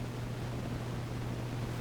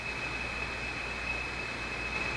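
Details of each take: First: National HRO tube receiver after 2nd and 3rd IF transformer alignment, other microphones off: steady low rumble with soft even hiss and constant hum, no crackle or dropouts; normal receiver background noise. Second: National HRO receiver after 2nd and 3rd IF alignment, antenna connected, ground not connected: steady hiss with thin high ringing tone throughout; ringing suspected from the crystal filter, not confirmed.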